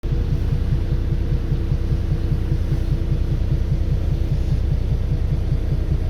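Heavy diesel rumble carries a regular low thump, about two and a half per second, steady throughout, like a knock from the engine.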